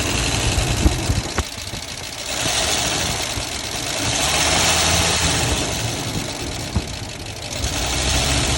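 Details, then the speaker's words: 1990 Ford F-150 XLT Lariat 5.0 V8 after oil and filter change with Lucas additive: fast sharp ticking over idle that speeds up with rpm, heard well both underneath and up top; owner doubts rod knock or rocker, source unknown. "I don't think it's a rod knock because yes you can hear underneath however you can hear it really well up top too usually if it's a rocker or a rod knock you won't be able to hear it very well it's not that yeah and yes it does increase speed with the RPM increase"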